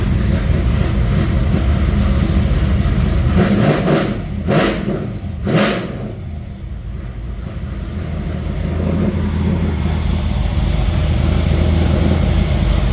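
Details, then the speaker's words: Newly built stroker LS V8, after fixing a lifter that left the intake rocker not opening and switching back to the original block crank sensor: strong even idle with two clean throttle blips; sounds much better. "right. Well, that sounds a lot better."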